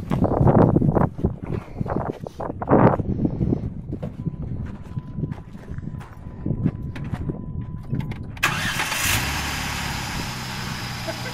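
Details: Off-road vehicle stranded on a trail after running rough and dying: after handling clatter outdoors the engine fires immediately and runs steady and even with no stumbling.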